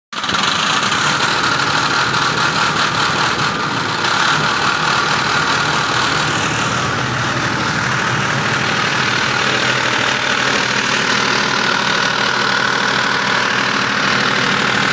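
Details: 25 kVA diesel generator running: loud steady diesel run with uneven knocking near two and a half per second underneath; abnormal running noise, cause not clear.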